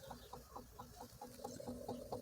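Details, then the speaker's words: 2018 Dodge Grand Caravan rear AC blower, fan knob about three-quarters: light rapid clicking about four times a second from rear unit while fan never spins up; intermittent heat-related failure, blower motor/resistor suspected, later replaced. "and it's just clicking back there"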